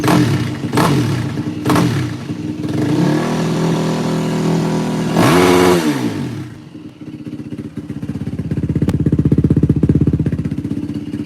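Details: 2004 Yamaha WR450F single after carburettor rebuild kit, pilot mixture screw 2 turns out, choke floods it: sharp throttle blips climb and drop cleanly, then steady thumping idle; runs great, float adjustment may still be needed if it leaks. Normal revving.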